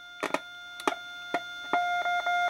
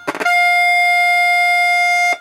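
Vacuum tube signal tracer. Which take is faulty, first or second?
first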